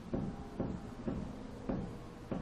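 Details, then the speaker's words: Ford truck with the wheel lifted a few inches by its lower control arm and levered with a long pry bar: dull single clunks about every half second as the wheel moves, with visible deflection from a worn, loose ball joint. "you can hear the noise and I'll bring you underneath here so you can see the ball joint deflecting also"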